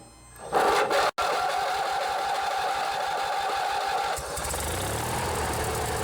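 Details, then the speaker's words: Riding mower with a Briggs & Stratton 16 hp opposed twin and a modified choke cable: the engine catches and settles into a smooth, even purr at steady speed with no stumbling; a healthy twin running normally. "this one here it's the old briggs and stratton opposed twin this one's a 16 horsepower let's see if you can hear the difference with how a twin cylinder sounds"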